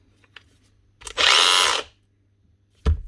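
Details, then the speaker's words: Makita DGA463 cordless brushless grinder after rotor and bearing replacement, run without guard: loud high-pitched spin-up with a rough, gritty grinding edge over the motor whine; damaged gears in the gear head, from the lock button being hit while running. "Right, so there is damage to the gears up on here. I was hoping they were going to be alright, but they're not. Doesn't take much to make a grinding noise out of the gears."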